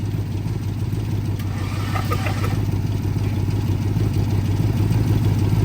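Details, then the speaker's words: 2006 Ford Escape engine, locked up after sitting over two years, now freed with good compression and oil in the cylinders. It cranks slowly and evenly on the starter, about three turns a second, a touch stiff, with no firing. "spin it over like a little bit that's a it's a mess under there now but at least it's free"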